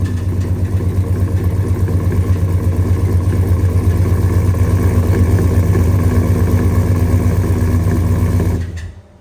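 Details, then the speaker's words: Gasoline engine with K&N intake and headers (owner reads it as a 5.3): loud, heavy idle with a hard, regular beat under the exhaust note until shutdown; a spun rod bearing knocking in the bottom end. "engine okay that's loud shutting down that's that's not good sounding at all down there I mean it's it does sound good it's nice and loud but it also sounds like something's coming apart"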